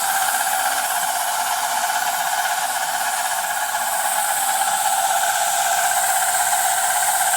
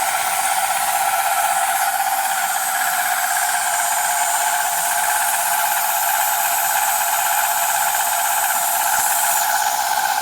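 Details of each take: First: Milling Dickson tool holder blanks after slowing the spindle RPM; even, hissing cut with steady pitch and no chatter or squeal; clean normal cut. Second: Milling cut on Dickson tool holder blanks; harsh steady hissing with a ringing tone that never settles; likely cutter chatter though the cutter was checked and sharp, cause unclear.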